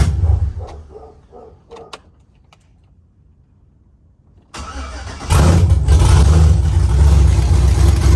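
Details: Truck with mechanical DOD delete, DOD now removed from the tune (previously running on 4 cylinders), exhaust not yet fitted: quiet, then engine fires and settles into loud, steady idle with faint rhythmic lope, "baby chop chop"; healthy on all cylinders.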